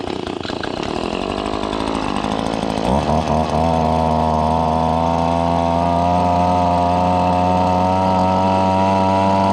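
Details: Newly bought Echo PB2520 two-stroke blower, cold start (already run once at the shop): rough cranking for about three seconds, then it catches and settles into a steady, even high buzz with no misses. It seems a little cold-natured but runs fine.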